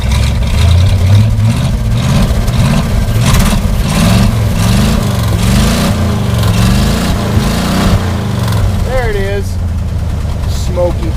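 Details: 1968 Chevy, 283 V8, just started cold after priming the carburettor on a snowy day; lumpy, uneven running with revs wandering as it struggles, dislikes clutch engagement; rough cold idle.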